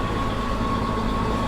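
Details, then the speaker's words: Chevrolet Trailblazer salvage-auction car just fired up: idle with a steady high-pitched squeal riding over it, a squeaking belt; check engine light is on. "got a squeaking belt check engine light on about air-conditioned"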